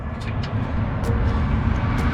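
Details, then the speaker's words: Camper van engine while driving, check gauges lit: uneven lumpy low drone with scattered sharp ticks, running very rough before cutting off; a pop followed and smoke came from the bell housing or engine, cause unclear. "This thing is running really [ __ ] rough. And I think I just I think my engine just cut off again, guys."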